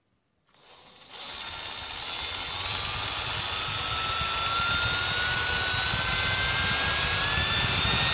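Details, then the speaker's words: Circa-1995 Milwaukee 0435-1 12V cordless drill on a 14V M14 lithium battery through an adaptor, after the trigger was replaced and reassembled: the whine rises smoothly with the trigger, giving normal variable-speed control. "So you should be able to hear the difference. It's a nice control on that."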